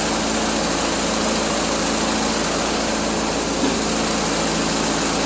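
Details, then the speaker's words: 1974 Triumph Spitfire four-cylinder with rebuilt Zenith Stromberg CD150 carburetor, warming toward thermostat opening: even, light, busy idle with no valve chatter or knock; healthy, despite coolant leak at water neck needing new gasket. "It's running. What a plus that is. Heck yeah. And it sounds great. Sounds freaking great."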